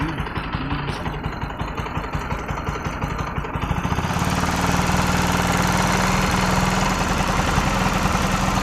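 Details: Bajaj NS 200 single-cylinder engine; steady ticking beat about three a second at idle, then a harsher rattly drone as it picks up; owner finds it irritating; abnormal engine noise.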